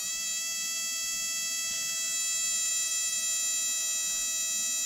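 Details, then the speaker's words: Spark plug in an ANCEL SP02 spark plug tester at 6,000 RPM, not under compression: fast, even buzzing snap of sparks at steady high pitch with no dropouts; plug firing normally. "at 6,000 RPM plug's not having any problem at all firing now obviously this is not under compression so when it's in an engine you're going to have compression"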